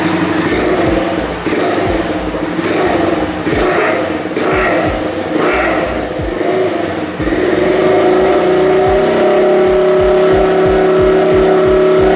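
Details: Honda Sonic motorcycle just fitted with a new larger-finned regulator/rectifier (kiprok) after the old one failed after over a dozen years: it blips up crisply several times, then settles to a steady, even idle with no misses, running healthy.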